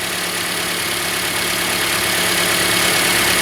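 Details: 2013 Toyota Corolla at 150,000 km, idling during a battery and charging system test after an oil change service: steady, even idle with a smooth hiss-like hum and no knocks, misses or surges.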